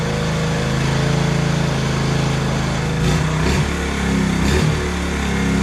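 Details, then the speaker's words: 1986 Honda TRX70 right after a carburetor clean and rebuild with the original carb: the small single revs cleanly and settles to a steady idle without stumbling or misses. Normal running. "well it don't get any better than that that's why a cleaned OE carb is way better than anything else"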